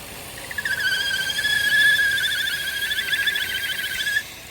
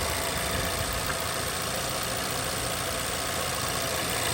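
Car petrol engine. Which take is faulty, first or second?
first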